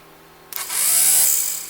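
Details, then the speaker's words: 1977 Corvette C3 driver's power window motor bench-tested on a battery: quick high-pitched whirr spinning up and fading smoothly, no grinding or catching; good motor, fault was a poor ground on painted surface. "so that's a good motor"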